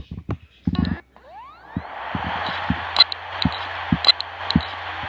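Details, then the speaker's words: Hard drive from an old broken pink Dell laptop, plugged in over USB, platters not rotating; brief rising spin-up whir, then sharp ticks about once a second with no steady spin, clicking a couple of times then stopping; click of death. "This sound is called clicks of death. It's every time when it clicks a couple of times and it stops."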